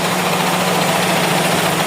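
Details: Toyota Corolla GLI 4A-FE with severe idle problem: steady low idle hum with uneven shaking undertone and faint knocking; rough idle, cause not yet pinned down.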